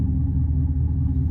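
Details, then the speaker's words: Old SaltDogg SHPE2000-series auger salter with J-code jam, after freeing the auger by wrench: deep labouring rumble with uneven drone, no free-running note; auger motor still struggling against salt chunks. "I could hear it. It's still struggling."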